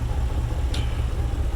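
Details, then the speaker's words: 1994 Chevrolet Caprice Classic idling after a crank-no-start was fixed by replacing the fuel pump and repairing a broken vinyl fuel line: a steady, even idle pulse with one faint hiss. "I'm probably gonna leave this here and just get a little video how it looks starting up"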